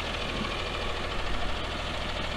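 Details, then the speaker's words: Freightliner FL70 diesel with new 4-inch Donaldson exhaust off the turbo, cold start: steady low diesel clatter at idle, even and unbroken, with a little grey smoke until warm; healthy idle. "if you were to turn around and not look at the truck and hear it idling it would sound just like a dodge pickup"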